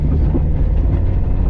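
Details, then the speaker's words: Stock Toyota RAV4 on a rally sprint stage, after a loud clunk broke the exhaust on the first stage: a deep, loud, raw rumble under load, especially turning left, like an open straight pipe. The broken part was still unknown. "heard something's broken and you'll hear even going left specifically it was quite loud so um we weren't sure what was broken but we just know something very badly has happened"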